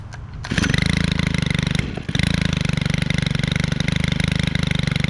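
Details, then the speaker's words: Stihl 4-Mix four-stroke trimmer (FS91 28.4cc or KM111R 31cc), started for the season: catches, settles into a quick even putter like a generator, briefly dips, then revs clean like an ATV; runs healthy. "Um that idle sounds like a getting current. And then when it's revved, sounds like a ATV."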